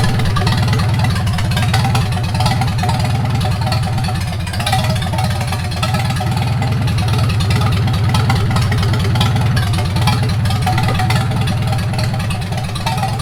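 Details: 1942 Farmall H tractor, hand-cranked and started after transmission repair (scraping/screeching and hard shifting from reverse fixed), carburetor not yet adjusted: low, steady idle thump about four beats a second, even, no knocks or rattles; normal idle.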